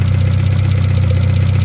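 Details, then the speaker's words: 1971 Toyota Celica RA20, 18RG on twin Weber 40 DCOE carbs, just synced via balance screw with both reading just over 5: deep steady even idle, no hunting or spitting here, though carbs later still spat back. "So now the carbs are synced together, and we can move on to the next step."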